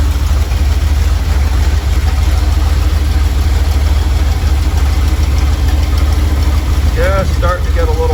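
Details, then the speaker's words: Normal warm idle from either the 1977 Ramcharger 440 or the 1968 D-100 318 being revived: a deep, even V8 rumble with no knocks or misses. It runs at about 800 rpm with timing about 3° ATDC, near the 185°F operating temperature, before a compression test. "all right just listen to that beasty Idol about three degrees after top dead center so we're not at zero or before top down dead center where we should probably be 800 RPM"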